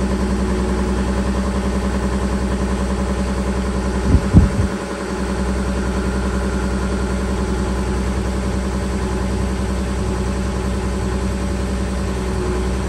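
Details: Volkswagen Touareg 3.0L diesel after a cold start, having stood 2 days below -30°C (about -33°C): steady, even idle with a low, regular chug and one brief clatter early on; normal cold idle.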